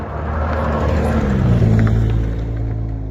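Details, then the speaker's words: Rover 800 Sterling Coupe, 2.5 KV6, being recommissioned: deep uneven rumble with a loose, flappy exhaust note at idle; rear silencer going. "As you can hear, the rear silencer's going, and these Rover 800s always seem to go on the silencer all the time, so that's something to do."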